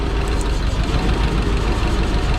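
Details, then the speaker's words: Yale GLP060VX forklift, PSI 2.4L on CNG, called in for running rough: with the number three coil plug pulled the idle goes lumpy and dips, then recovers when refitted. Cylinder three is firing. "pull three it's worse you can hear it dip when i pull it comes back"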